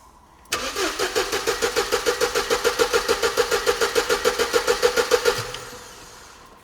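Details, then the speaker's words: Mercedes SLK left standing for a decade. Ignition on, but no fuel pump priming is heard. The starter churns steadily for about five seconds and never catches: crank no start. "No, but I still didn't hear the fuel pump priming."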